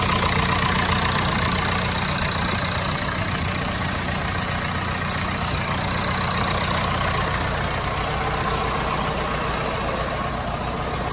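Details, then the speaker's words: Lincoln welder engine, over 30 years old, after an oil filter service and bleeding air from the fuel system: steady, even idle with a smooth low rumble and no misses or knocks; normal idle. "Hopefully I got all the air out of the system now. Man, she still purrs like a kitten."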